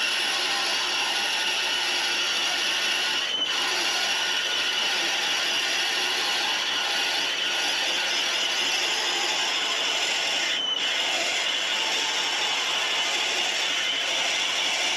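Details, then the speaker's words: Drilling out a bearing-bronze water pump bushing for a 1914 Studebaker SC-4 on a 1911 Hendey 6x16 cone-head lathe with cutting oil: even, high scraping hiss of a steady, healthy cut with brief pauses to clear chips. "so we'll uh we'll drill this out i'll do it real time so you get an idea of what uh this joyous sounds are of uh machining uh bearing bronze"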